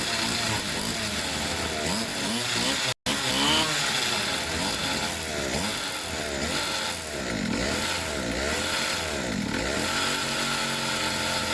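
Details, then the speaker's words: Pit bike / mini moto two-stroke after service with fresh fuel: choke was slipping and moving, so it was stiffened; with choke fully off, high buzzy note revs up and down cleanly, picking up crisply; normal running. "what was happening was to choke itself was slipping and moving so I stiffened it up a bit it sounds much better now with the choke completely off"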